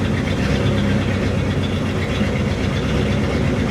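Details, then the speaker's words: 1964 Ford Thunderbird V8 idling cold with a lumpy, uneven low burble and no clear knock. It shakes noticeably but less once warmed up and is drivable; the cause is not identified. "yeah I mean you see it shaking pretty good but when it warms up it doesn't shake quite as bad is drivable"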